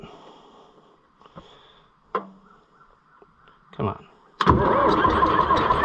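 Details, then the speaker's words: Oliver 1355 tractor, believed to be a Heritage model, painted silver, first start attempt after a new fuel pump: clicks then a short labouring crank that never gains speed or fires; original starter lacks power. "I don't know why it won't never start with the that original starter just doesn't have enough oomph to take it"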